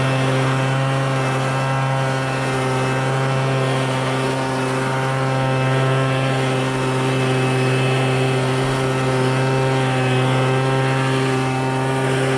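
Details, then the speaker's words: MTD Bolens BL125 two-stroke leaf blower after carburetor repair and adjustment for no-start and bogging: steady even drone at constant pitch without bogging or surging; running cleanly, carburetor dialed in. "all right guys I think I got it we got it dialed in Baby Woo we got it dialed in we got the carburetor adjusted the carburetor fixed and it works"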